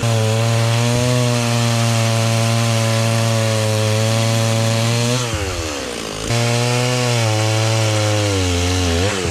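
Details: Stihl 036 just rebuilt with a new piston and head torqued to spec, cutting wood outside: steady two-stroke howl dips as the bar bites and picks straight back up; running well under load.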